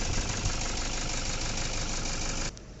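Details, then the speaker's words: Toyota Fortuner diesel idling rough with an uneven knock and engine shaking; scan shows injector circuit open, traced to broken injector wiring, one injector not firing; wiring to be repaired. "इसमें क्या हो रहा है friends smoking का folder ए रहा है अपने पास देखिए इसके ऊपर इंटर लगा रहा था ना फ्रेंड्स इसके वजह से क्या ये इसमें रहा रखा क्या है ये देखिए टूट गया है"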